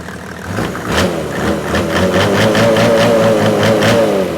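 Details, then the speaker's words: Mercedes OM606 diesel with calibrated injector pump, warm at about 70°, after stuck injector cleared: revs up cleanly with even firing, no stumble, returns to idle without problem; healthy. "oil pressure gauge is working but as you can see it comes down to idle no problem"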